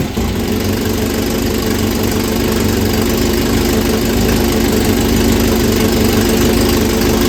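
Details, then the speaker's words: 1967 Volvo Amazon (122), revived after 35 years abandoned, at idle after motor mount and exhaust work: loud raspy rapid uneven puffing chuff from a leaking exhaust manifold; washers added barely helped, welding planned. "that noise is coming out of the exhaust manifold"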